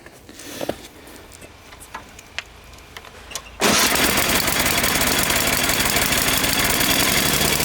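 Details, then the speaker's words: Snowblower small engine after a surging-idle fix with a new spark plug and oil change: after some clicks it fires and holds a steady, even idle with no hunting or surging; now idling properly. "Alright, so new spark plug and an oil change, and this thing ought to be purring like a kitten."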